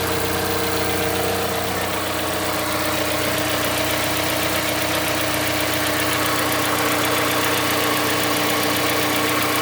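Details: Mazda CX-5 Skyactiv 2.5, cold start while warming up: cold idle with a steady, light metallic ticking about four per second that begins around 50 seconds after starting, then stops and the engine runs quietly; owner asks if normal.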